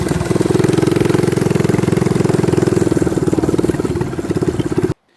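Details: Baja Warrior minibike single-cylinder engine, throttle stop screw removed for full throttle: fast, even popping beat, runs steady, then dies off abruptly; nothing wrong in the running.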